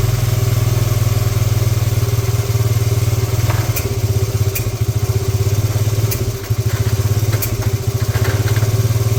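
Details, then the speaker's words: 1986 Honda TRX70, first proper run in years: steady, even low thumping from the small single at idle, firing regularly with no misses; normal idle. "see nice all right well there we have it it actually runs"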